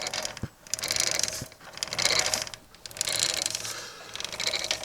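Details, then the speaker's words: Norton 650 unified twin prototype with an almost-new chain: faint rhythmic scraping about once a second as the chain rivet heads rub the crankcase. "but the there are rivet heads on the chain there."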